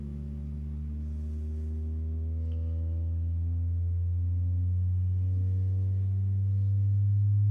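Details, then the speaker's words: New Pioneer TS-A6886R speaker in a 2007 Ford F250 crew cab rear door, sweep test from about 40 Hz: pure low tone climbing evenly and cleanly, good range. "all right so that speaker has a pretty good range"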